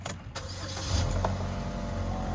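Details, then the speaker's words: Auction-bought car on a cold start: deep, steady rumble, louder than normal, with no clear ticking. Owner suspects a leaking flex pipe and assumes an evap code comes from the exhaust leak; not confirmed, going to the exhaust shop. "i'm about to bring this joint to the exhaust shop because it's a little bit loud past my liking so let me let y'all hear this real quick"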